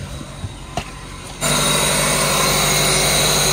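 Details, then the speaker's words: 1999 Toyota Camry 2.2L with rough-running misfire codes P0300-P0302, new spark plugs fitted: the idle is drowned by a steady, loud hissing suck, an air leak bypassing the filter. "vacuum leak or something around here too making like a sucking noise oh yeah he's definitely gotta air leak right there"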